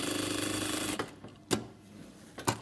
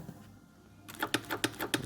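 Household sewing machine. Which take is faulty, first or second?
second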